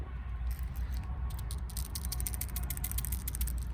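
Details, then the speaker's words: Lexus LS430 PCV valve, removed, covered in junk, described as still good: a quick loose ticking as it is shaken, the check ball moving freely; replaced anyway (part 12204-50030); the engine was leaking oil after a valve cover gasket job. "so this is the pcv that they said was good it actually does sound like it's good but i mean it's just covered in junk"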